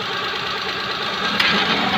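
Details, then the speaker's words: Maruti Suzuki Alto at idle: no noise until the AC is switched on, then a harsh metallic knocking rattle comes from the AC compressor, which is not working correctly. The noise stops when the AC is turned off; the compressor is seizing. "AC ഓണാക്കുന്ന സമയത്ത് compressor correct അല്ല ചെയ്യുന്നത്. ആ ഒരു ഭാഗത്തു നിന്നാണ് sound വരുന്നത് എന്നുള്ള."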